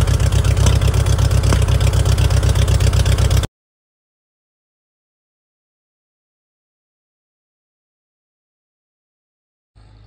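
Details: 1940 Farmall H tractor just started on a jump, with fuel flow restored and the battery dead. Even, steady low putter at about four firings a second for a few seconds before cutting out; a healthy idle.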